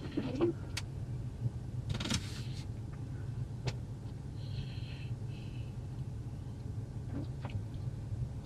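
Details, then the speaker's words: Toyota, servo motor initialization run from a scan tool: faint, soft motor whirring with a few light clicks under a low cabin hum as the blend door actuators move through calibration; done when they stop. "But it's done. You can hear them moving. And basically when they stop moving, it's done."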